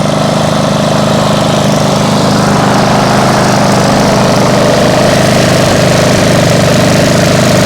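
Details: Freshly restored single-cylinder mower after about 20 minutes running, no overheating: steady even drone, no misses, knocks or surges; runs fine, slightly loud from a suspected small exhaust leak.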